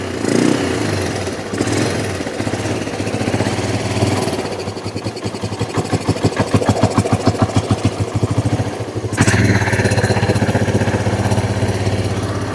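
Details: Kawasaki Bayou 300 ATV with aftermarket carburetor, after sitting two years and carb cleaning, idle knob turned down: single cylinder thumps unevenly, revs hunting and stumbling; rough running, owner suspects sticky intake valve or carburetor.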